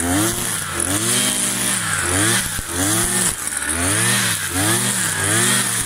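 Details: New Kawasaki TJ53E two-stroke brush cutter cutting tall grass: the revs dip and recover roughly once a second as it bites, pulling back cleanly each time. Healthy running under load.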